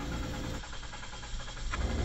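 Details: 2023 Nissan X-Trail, crank but no start: the starter churns at a quick, even rhythm for about a second and the engine never fires; diagnosed failed fuel pump, replaced through the access under the seat.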